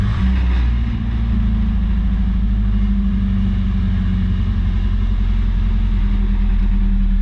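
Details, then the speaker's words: 1983 Toyota Celica ST, carbureted 22R, cold, in gear during transmission test: heavy low drone that hunts and stumbles unevenly, struggling to hold idle until warm; it likely has summer gas from Florida, and the loose Edelbrock air cleaner lid rattled. "let's see if she can find an idol yet warm up baby come on oh almost"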